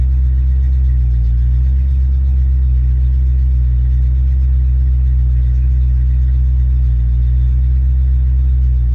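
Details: Ford Mustang mass-air car test-running a rebuilt A9P ECU: started, coming off high idle down to closed loop at about 800–900 RPM; deep, steady V8 rumble with no knocks or misses, smooth healthy idle.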